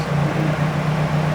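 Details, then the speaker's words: Fiat 131 Mirafiori Abarth with newly fitted twin Weber carburettors, revived after years stored, being balanced at the idle screw: lumpy, wavering idle as one side runs quicker than the other; twin carburettors out of sync. "so it will sound like one side's quicker than the other like now it's well out so we're gonna get that when i come back it will even it out"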